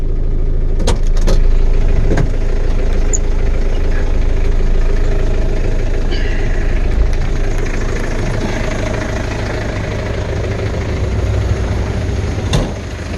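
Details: Diesel truck, started cold, now at settled idle after the manual cold-start throttle was pushed back in: an even, rapid diesel clatter with no misses or heavy knocks. A normal, healthy diesel idle.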